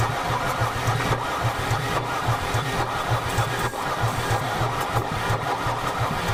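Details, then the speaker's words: Mercedes 300D diesel after sitting three years in a field, water in fuel system: continuous slow, even cranking with no firing pulses at all; cranks but won't start, likely due to water in the fuel. "I don't think they're flooded because it is cranking oh like but I guess it's not firing it's not firing whatsoever no sign of it so maybe it is like unhappy about the water in the there"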